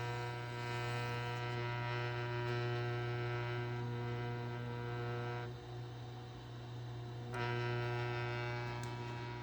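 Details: Crown transport drive motor running: a steady, buzzy drone with a rough edge that briefly eases off mid-clip, from bad motor bearings.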